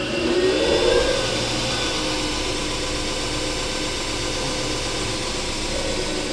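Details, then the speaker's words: Homemade 454 belt grinder, 2 hp motor on AC Tech Lenze MC1000 VFD with DC injection braking (about 8 s) at reduced speed: steady whir coasts down smoothly with even braking hum, no rubbing or knocking; normal ramp stop. "so I'll start it and stop it and then you'll hear a little humming at the end that will be the injection braking set up at uh I think 8 Seconds"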